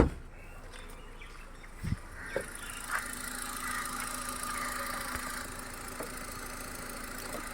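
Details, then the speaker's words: Hyundai i20 petrol that started then died, running with fuel pump relay bypassed (jumper loop) to test pump vs ECM: quiet even idle holding steady, no stumbles; engine now runs continuously, even with throttle. "இப்போ பார்த்தீங்கன்னா உங்களுக்கு கண்டினியூஸாக run ஆகிட்டுருக்கு, ideal running ஆகிட்டுருக்கு."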